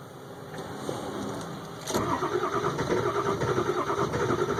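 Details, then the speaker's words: 2002 Ford F350 7.3 Powerstroke diesel cold start at about 34°F after letting the glow plugs warm 2–3 min; the starter churns steadily at about three beats a second but the engine won't fire; owner plans to cycle the key; cause unknown. "does it keeps trying to but it's not so I will cycle the key at that point and hopefully we'll let the BL plugs warm up a touch"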